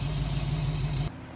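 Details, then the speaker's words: 1968 Mustang V8 after swapping HEI distributor for new smaller distributor and coil, timing set about 9–10 degrees: smooth, steady low idle with even beat, slight exhaust tick, no misfire or stumble; normal idle. "all right so we have successfully put in a new distributor hooked up a coil got it timed correctly started it up ran it tested it everything worked good"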